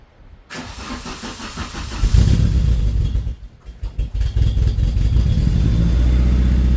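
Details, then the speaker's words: Low-mileage 1990s saloon kept in a dry garage, just bought as a daily driver: engine cranks, catches and settles into a lumpy, uneven low idle with an irregular beat; running rough, so it will need a new engine. "as you can hear it sounds like an absolute Maggy which is why it's going to Ro need a new [Music] engine"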